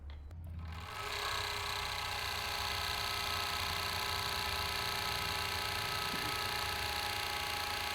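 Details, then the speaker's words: Overlock sewing machine after repair runs at steady even high-speed whir; previous continuous khat-khat knocking gone because the needle plate/gauge part no longer touches, gap restored. "पहले machine जो खट खट खट continue आवाज कर रहा था वह आवाज बंद हो गई क्योंकि मशीन का यह जो गज है देखिए वो यहां पे टच होना बंद हो गया"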